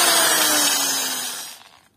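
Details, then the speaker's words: Eight-year-old angle grinder running with a harsh, noisy, muffled roar it didn't have before, then winding down, with sparking; caused by loose carbon brushes. "makinesinin böyle çalıştığı yerde gürültülü ve boğuk bir sese önceden böyle bir sesi yoktu"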